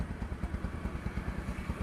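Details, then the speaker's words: Bajaj Discover 135 motorcycle that was submerged, with water in the oil and a seized engine; after a full engine rebuild it idles with an even, steady low thump, refined with no tapping or knocking: normal idle. "तो फिर मैंने इसका पूरा total engine किया है और आप देखिए यहां पर बिल्कुल इसकी जबरदस्त रिफाइन इसकी साउंड हो चुकी"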